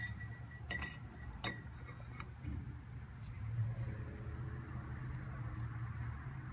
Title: FJ Cruiser - Bad wheel bearing :(